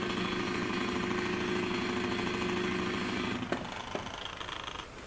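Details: Broan-Nutone bathroom exhaust fan, model 684-D/2684F-A, rated 2.5 sones: harsh fast clattering rattle from the motor, which has up-and-down shaft play, stopping dead when switched off; worn motor bearing, fixed by replacing the motor.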